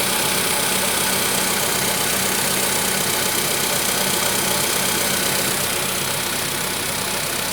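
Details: VW Polo Sedan 1,000 km after piston replacement: idle with even, hard tapping about four times a second over hiss; clear engine knock from inside.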